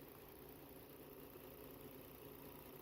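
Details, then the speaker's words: 2011 Volvo XC60 3.2 six-cylinder with misfire codes P0302/P0304 (cylinders 2 and 4), after swapping an ignition coil: engine now idles evenly, steady low hum with no skips or stumbles, normal smooth idle. "It sounds better too. Okay, oh, there you go. Okay, so let's do the test again. There you go. See, can you hear the change? There you go. And now the engine sounds smooth."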